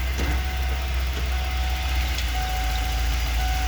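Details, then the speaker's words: 1994 Ford E350 Club Wagon, 351 V8, cold engine, in Drive with brake on under light throttle; low rumbling idle with an uneven stumble about every half second and immediate hesitation, worse cold and under load: misfire under load. "that's it in Drive oh yeah as soon as I touch the gas and immediate hesitation"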